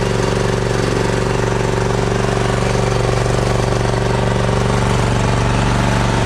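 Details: John Deere Z525 mower after oil, air, fuel and oil filter changes and new spark plugs, following over 100 hours in dry, dusty conditions: steady, even single-cylinder thrum with no misses, knocks or surging; runs smoothly.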